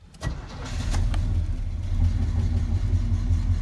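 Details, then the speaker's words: Square body truck, cold start in snow with thick oil, choke not fixed, a couple of throttle pumps first: catches almost at once then settles into a lumpy, uneven idle that hunts; hard cold start, faulty choke. "I still haven't fixed the choke you have a couple pumps you can hear it squirt"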